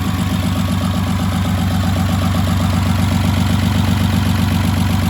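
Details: Rebuilt VR6 on first start after install: soft, uneven chug about two to three times a second at idle; owner suspects a missed vacuum line, not confirmed; rough idle.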